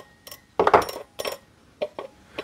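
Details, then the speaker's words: Bosch K-Jetronic air metering unit, air flap plate being centred with bolt lightly nipped: light metallic clinks and taps in irregular bursts as the flap bounces on its spring; plate still catching the meter body. "You can hear that bouncing on the spring, but it's still catching the body. And notice the sound changed."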